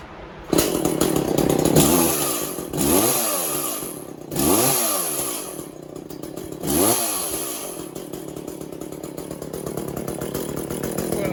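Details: Echo CS400 chainsaw after OEM oil pump replacement, untuned: rough idle, blips rise slowly and sag; bogging, owner says it needs carburetor tuning, muffler mod and port job.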